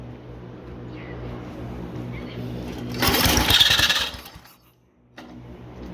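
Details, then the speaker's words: 1971 MTD mower, points and condenser just cleaned, run on starting fluid: catches for about a second with a harsh, ragged rasp then dies; rough running, cause unknown. "That doesn't sound right, but it's a start."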